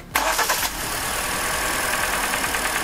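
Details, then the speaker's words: Hyundai Elantra 1.8 engine, 69k miles, with cylinder four disconnected: the engine catches and settles into a busy idle, and the light, rapid tick is still there; owner suspects piston slap, not confirmed. "it's still there. It's still there, guys, so let's go ahead, actually, okay."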